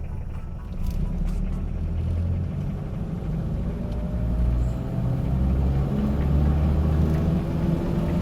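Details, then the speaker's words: Diesel Mitsubishi Pajero automatic held in L (low) gear: deep diesel drone climbs slowly and stays at high rpm with no shift break, as expected in low gear. "ये देखें RPM high है और gear change नहीं हो रहा।"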